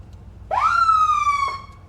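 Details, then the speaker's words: Sheriff department auction vehicle (runs, oil pressure mid-gauge, battery charging, slight exhaust leak) siren test: a loud tone sweeps up fast, holds a steady wail about a second, then cuts off cleanly; siren works. "That works. Wow, that was loud. Okay, we have a siren."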